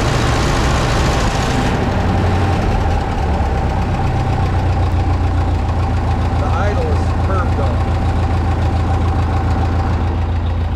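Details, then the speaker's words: 1951 Ferguson TO-30 tractor after new spark plugs, carburetor refitted with repaired throttle shaft: low steady unhurried idle, no stumbling or misfire; running smoothly and healthy. "so we're back up and running i feel really good about the engine now we got new plugs carburetors on"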